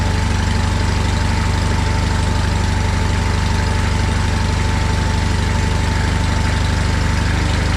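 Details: John Deere 317 lawn tractor after engine reinstall, choke off, air cleaner not yet fitted: steady even idle putter about two and a half pulses a second, no misses or knocks; runs healthy.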